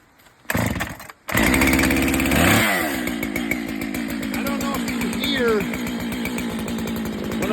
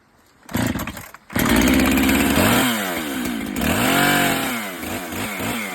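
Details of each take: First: Husqvarna chainsaw, chain deliberately overtightened for demonstration: full-throttle scream that drops to idle almost instantly off throttle with a faint high ring or singing; overtightened chain dragging on the bar. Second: Husqvarna landing chainsaw after chain tensioning: starts, holds high steady buzz, revs up and down cleanly with no rattle or slap; normal running.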